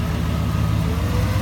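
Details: 2001 Chevy Silverado 2500HD 8.1 V8 after sealing exhaust pinholes with JB Weld and fixing a driver-side exhaust manifold gasket leak: deep, even idle with steady low rumble, no ticking or squeak left.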